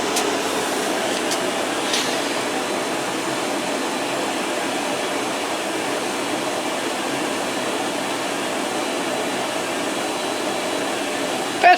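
A steady, even hum and airy rush with no knocks or scraping; the washer-dryer is heating and tumbling normally.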